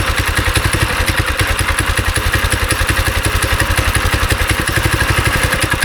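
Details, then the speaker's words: Go-kart small engine after sitting three years, started with choke and starting fluid: uneven, lumpy thumping about three or four per second that stumbles and surges; runs rough and smells bad from bad gas left in the tank. "You got bad gas somewhere in your system. Alright. You smell that, right? Yeah. Okay, well, it runs."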